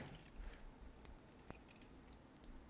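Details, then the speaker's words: BIQU B1 SE Plus 3D printer filament runout sensor, a basic micro switch with no ball bearing felt: filament pushed in gives a few crisp light clicks in a quiet room; normal runout switch click. "this is just your probably your basic micro switch sensor really easy to tell we just shove some filament in there and uh listen for the click"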